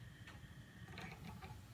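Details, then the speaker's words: Patio heater that roared with large yellow flame after minutes, fixed with 10 trimmed wiring staples, top cover on, low setting: soft even gas hiss, no roar or pulsing; normal burner operation. "Now I've got the top on. We'll turn it on the low setting. Beautiful flames."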